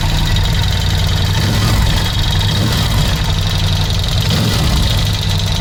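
Loose, uneven hollow knocking under the lumpy twin idle, strongest down low, points to piston slap in the rear cylinder.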